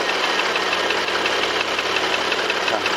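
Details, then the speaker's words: Porsche Panamera 3.0 turbo gasoline engine: sharp light tick about three times a second, appearing once hot and quickening with rpm when accelerating. "악셀을 밟을 때 엔진의 회전수와 같이 딱딱딱 소리가 좀 빨라지잖아요"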